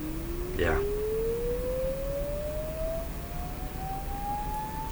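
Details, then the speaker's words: Sony TR-712 transistor radio after replacing three small green capacitors; a tone signal is fed directly to the speaker, bypassing the amplifier. A pure, steady tone sweeps smoothly up in pitch with no buzz or distortion: clean output. "that has a proper sound to me to me that sounds like a a nice sign weight"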